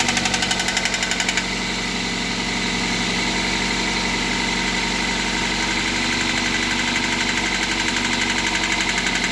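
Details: MR2 Mk3 engine at steady idle with a sharp, fairly even tapping knock near four per second that follows engine speed; engine knocking at idle, cause not yet pinned down.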